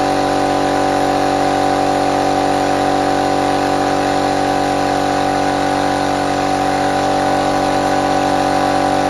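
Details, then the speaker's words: Restored compressor fired up for the first time after refurbishment, no water trap fitted yet: loud even drone with steady pitch, pumping up smoothly without knocks or surging; normal running. "okay well I think we may have the success here"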